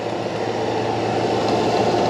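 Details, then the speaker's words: Cheap used CNC knee mill, first power-up, spindle running in high range: steady, even whir with a smooth hum and no knocks or grinding, sounding really good, unlike the clattery high range of other knee mills. "wow, écoutez ce fuseau, j'ai eu quelques moulins de style moulin à genoux et euh, ça sonne toujours claquant en haut wow, ce truc sonne vraiment bien,"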